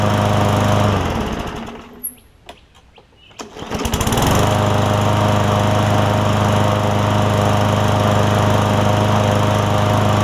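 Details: Craftsman M100 push mower after carburetor cleaning for a no-start (jet/primer blockage suspected): after priming and the pull, the single-cylinder engine stumbles briefly, then catches and settles into an even, steady run; now running normally.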